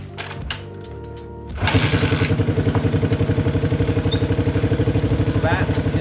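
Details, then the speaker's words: 1981 Honda XL185 single, engine swapped from a second bike: slow, loud, raspy exhaust thump, harsher than stock; exhaust blowing through a hole in the muffler bottom where an unobtainable piece is missing, much quieter when covered. Exhaust leak. "obviously sort of loud it's not terrible but when I cover it up it's way quieter like it's just a better sound if I were to cover it in my opinion"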